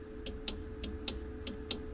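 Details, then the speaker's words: 1950 Chevy Deluxe converted from 6 to 12 volts with new fuse panel, key on: horn relay clicking about every third of a second over faint hum, power sent to horns but no horn sound. "It's sending power to the horns. You hear that clicking? We got no hornage."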